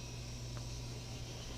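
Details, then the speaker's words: Englander 25-PFS pellet stove, newly replaced combustion air blower (old one burned out) after cleaning, at lowest heat range: low, even hum with a soft steady whoosh, no rattle or scrape; runs quietly and smoothly. "well it's actually turning the combusted fanboys just so quiet"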